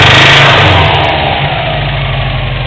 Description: My wrx making a knocking sound